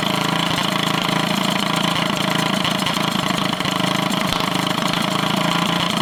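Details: Drift go-kart small single with stage 1 kit, first start after sitting over a year: uneven hunting idle with occasional stumbles; owner suspects it just needs running; unstable idle.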